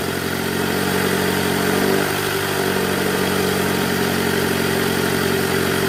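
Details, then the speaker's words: 2008 Toyota Camry 2.4 V, 2AZ-FE, in R at about 1200 rpm after replacing a weak-spring tensioner: smooth, even hum with the earlier growl under load gone; healthy. "Oke Guys bunyinya udah ilang nih"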